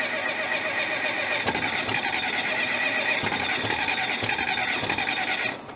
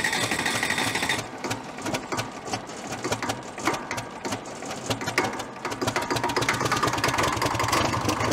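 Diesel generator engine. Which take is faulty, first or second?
first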